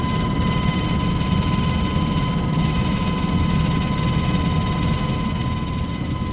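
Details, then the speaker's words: Furnace blower motor running: steady low roar with rough fluttering rumble; filter paper was hitting the fan blades, leaving marks on them. "you can actually actually see the marks on the fan blade where the where the paper was hitting the blades"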